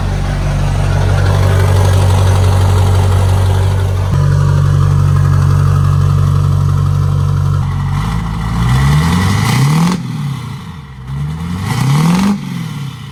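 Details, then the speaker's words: Duramax LB7 diesel frame-off build with S300 turbo, new tune, LBZ-based 10mm CP3 and 65-over injectors: even idle drone, then clean throttle blips rising and falling smoothly, no knocks. Normal idle and revving. "I'm going to go ahead and start the truck so you guys can hear it. Actually starts pretty good."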